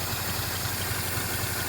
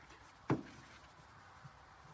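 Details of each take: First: 1951 Pontiac Chieftain straight six, first start in 25+ years after filing the points and adding gas: low, even thump about four times a second with a soft steady hum; idles smoothly. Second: 1951 Pontiac Chieftain straight six, first start attempt in 25+ years: starter cranks evenly about three seconds with no firing; crank no start, points suspected of giving no spark.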